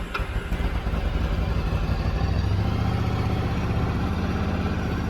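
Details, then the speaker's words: Yamaha V-Star 1100 (XVS1100) after carb cleaning, airbox off, hard starting and one-cylinder running previously: catches at once and settles into a steady, deep, even V-twin lope with no misfires or knocks; idles cleanly. "Right up, that's good. sounds like it's running pretty good for having the airbox off of it."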